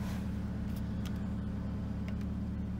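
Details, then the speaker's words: 2002 Toyota Camry LE four-cylinder, 217,000 miles, reported to stall at idle or when stopped: left idling, it holds a smooth, even low hum with a soft cooling-fan rush on top; it idles normally with the fan running and does not die. "I'll just let it idle because I want to see it dine I have not physically seen it die yet so that's I hear the cooling fan kicking on that means"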